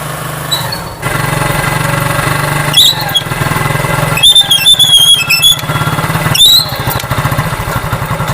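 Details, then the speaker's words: Idling motorcycle drum brake giving high, wavering squeals when the brake is applied. It comes from friction between shoe and drum, with carbon and brake dust built up on the shoes. "তো আমাদের কি হয়ে থাকে, brake shoe এবং ড্রামের মধ্যে যে একটি ঘর্ষণ হয়ে থাকে সেটার কারণে কিন্তু শব্দ হয়।"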